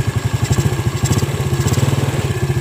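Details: Yamaha Vega ZR single-cylinder, after repair of rough front engine noise and white smoke (camshaft bearing fitted, new piston rings): quick, even idle putter with steady pulses, no knock or rattle; healthy.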